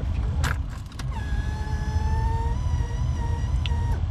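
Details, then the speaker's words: Suzuki Vitara whose fuel pump quit on the trail: a thin, steady whine around one kilohertz over a low engine rumble. Owner suspects a tired fuel pump needing replacement. Fuel pump whine. "uh yeah i think i think the fuel pump needs change but because i did run into my mx3s before so it just might be tired"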